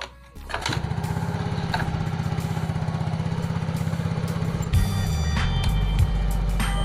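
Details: Yamaha Mio J injected scooter, which previously would not hold idle, after its injector and throttle components were cleaned and connectors and hoses rechecked: the engine starts quickly and settles into a steady, normal idle.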